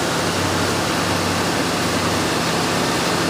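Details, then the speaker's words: 1966 Ford Thunderbird after rebuilt heads, alternator charging about 14.5 volts: steady, smooth idle with low hum and no knocks or misses; runs smoother than ever, normal idle. "this is that baby purr huh rebuild heads make a big difference it's never run this smoothie it's got a great sound to it"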